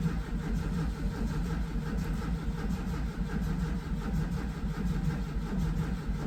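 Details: VW Vanagon with a newly fitted Bosch fuel pump wired backwards (no polarity markings): steady starter churning at roughly eighty turns a minute that never catches. No fuel delivery; it ran after the wires were swapped.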